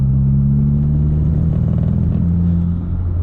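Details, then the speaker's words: MK4 Golf GTI under full throttle while driving: engine note stays low, wavers and stutters instead of rising cleanly, hesitating and not accelerating smoothly; boost problem later traced to a sticking N75 valve not holding boost at high revs. "so the car is struttering it's hesitating it's staggering if you like it's just not accelerating smoothly at all"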